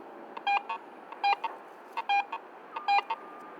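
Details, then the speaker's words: Garrett AT Pro International metal detector in Pro Mode with Tone Roll Audio: short beeps in clusters of three or four, pitch shifting with target conductivity as the coil sweeps it. Tone roll audio on target. "Another feature called Tone Roll Audio allows you to hear changes in the target's conductivity as the"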